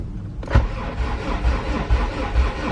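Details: Junkyard B18C Type R in an AWD CRX, cranked with the injectors disconnected to prime oil through the engine: steady starter grinding with even compression pulses about twice a second, no knocks. Normal priming crank.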